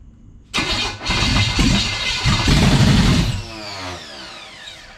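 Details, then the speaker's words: 1970 Chevelle SS big-block V8 after a broken distributor was replaced, running without exhaust: it cranks, catches within a second and runs loud and even for a few seconds before shutdown; it sounds healthy and nothing is broken. "It runs. It runs. So it runs. We can take it So apart. it sounds good, guys. There's nothing's broken in there"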